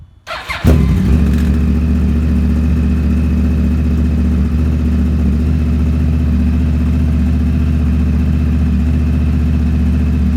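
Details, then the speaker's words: 2009 Yamaha R1 after rebuild for rod knock with new connecting rod bearings and sanded crank, Graves exhaust fitted: starts at once into a deep, even idle with no ticking or rod knock; normal idle. "we're gonna go ahead and turn it on again so we can listen to the engine make sure it's not ticking the rods not knocking nothing like that so"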